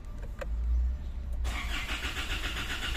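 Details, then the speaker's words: 2016 Isuzu MU-X that died while driving and kept stalling; key and battery already replaced. A steady, low starter churn with a hiss, but the engine never catches. Cranks without starting; it is being scanned. "Delete muna natin mga sir. Scan muna natin kasi ayaw pa rin niyang umandar."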